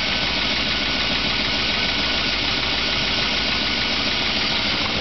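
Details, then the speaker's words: 2008 Chevrolet Avalanche V8 cold start in about 15°F garage: steady hissy roar with faint irregular knock about once a second, seeming worse under the wheel well, source unconfirmed; engine knock at cold idle. "start and it is making [Music] uh the noise maybe not quite as bad as it has in the past but it's still knocking"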